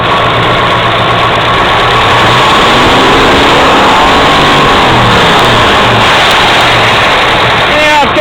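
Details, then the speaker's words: 1970 Camaro SS V8 with solid-lifter Z28 302 cam, mounted in subframe on temporary exhaust, rumbles at loping idle with lifter rattle and transmission whine, revs briefly and crackles faintly as revs fall; needs more tuning. "A little crackle too. I'm going to have to do a little more tuning on it, but it's not looking too bad right now."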